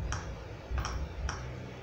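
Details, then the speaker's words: Philco TCM-2044 CRT TV: sharp ticks about every half second from the speaker over low hum, standby LED blinking as the power supply cycles on and off; cause was an open resistor. "liga e desliga liga e desliga e fazendo um barulho aqui no no no no altofalante"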